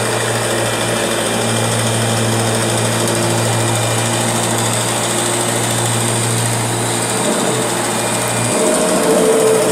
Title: Strange Noise Kirby G6 #2